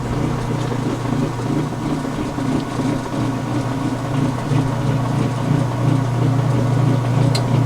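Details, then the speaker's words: Washer neutral drain after a towel wash, sump bucket purging: steady low hum with watery slosh and an even pulse, no grinding or rattle; normal drain pump operation. "There's your neutral drain sound. Yes, indeed. So that caused the sump bucket to purge yet again."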